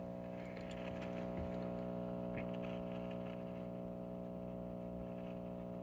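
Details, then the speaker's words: Recapped Heathkit T-3 signal tracer after cleaning the pot: constant low buzz with steady overtones and no signal; suspected 60 Hz mains hum, possibly lead dressing or a bad tube. "it's maybe some 60 hertz hum so i'll check the lead dressing uh i may have a bad tube one of these tubes may be bad"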